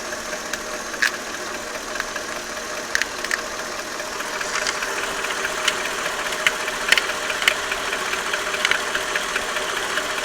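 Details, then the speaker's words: Mercedes S430 W220 M113 V8 on 5W50 oil, warm idle: slight, uneven light knock on the left side, absent when cold. It fades with a little throttle and has persisted about 3 years; a harmonic balancer replacement had no effect. Slight knock at warm idle. "When cold, on the cold start, there is no knocking noise, but as soon as it gets warmed up, you'll hear a slight knock on the left side."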